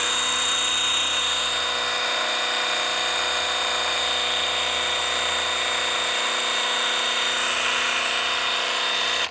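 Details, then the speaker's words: Graco TC Pro sprayer priming with primer, lever down to prime and trigger held for about 10 seconds after the air was purged from the bag: steady high-pitched motor whine for about nine seconds, then it cuts off; normal priming. "You put the this lever down to prime, hold this trigger for 10 seconds, and we should have primer coming"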